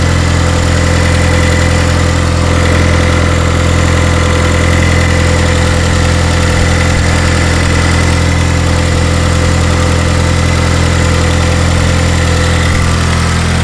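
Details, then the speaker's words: Turbo Ecotec Chevrolet HHR SS after sitting since October and being reassembled following boost-issue work: sputtered a little on startup, then settles into a steady, even low idle with smooth drone and no misses or knocks; sounds healthy. "seems okay all right so it seems like everything's okay as you can hear cars sputtered a little bit when we had to start it up"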